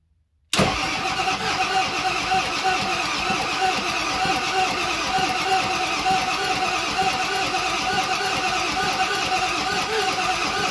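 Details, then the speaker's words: 7.3 Powerstroke (Navistar T444E) turbo diesel, stored in a crate almost 2 years, first start attempt, in gear with no driveshafts: even cranking for ten seconds, some smoke, never fires; test light finds no power at either glow plug terminal. "it's making some smoke but it didn't fire so let's check make sure our glow plugs are working"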